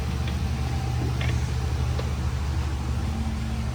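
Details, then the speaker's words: Chevrolet Monte Carlo SS (probably 2006), 5.3L V8, front-wheel drive: low steady idle rumble, even beat, no ticking or puffing; exhaust sealed, no leaks. "It's either gonna exhaust leak or it's not. Beautiful. Nice and quiet. Yep, no leaks. That's good."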